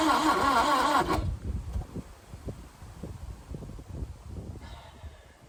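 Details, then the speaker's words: 1988 Subaru Brat/Brumby cranked with brake clean added: the starter churns evenly at three to four turns a second and never catches. The owner suspects spark, low compression or a head gasket; testing later found compression low. "Let's just check another spark plug, make sure that's firing, and we'll see what we get. Otherwise it could be down on compression, could have a head gasket."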